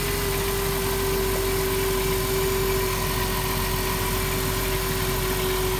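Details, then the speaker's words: 2007 Dodge Grand Caravan after replacing a broken part that caused a rough idle: steady, even idle with constant pitch, no stumbling, and no longer dieseling; normal idle after repair. "oh she sounds way better not dieseling anymore either"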